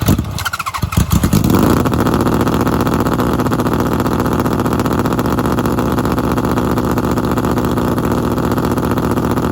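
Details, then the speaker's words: 750cc engine in a half-scale NASCAR kart, cold start after months of sitting: it runs hard on choke with a busy, uneven beat that never settles. It died earlier because the chokes were turned off before it had warmed up. "I turned off the chokes too early and it just wasn't warmed up enough, and I'm pretty sure that's why it died."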